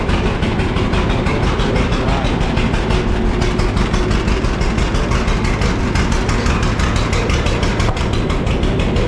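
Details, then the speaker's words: 1950 John Deere D, reassembled after fixing a corroded leaking exhaust valve and a blown head gasket: loud, fast, even two-cylinder popping; speeds up far too fast at a throttle touch, owner suspects the governor needs adjusting. "Something doesn't feel right. Cuz if you touch the throttle, it speeds up way too fast."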